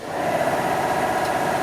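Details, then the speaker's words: Shop air compressor kicking in while a Vevor 11000 lb air bag jack lifts a tractor corner: steady even motor hum with constant mid-pitched tone, no knocking or stumbling; compressor running normally. "the compressors just kicked in I'll turn the Taps off now"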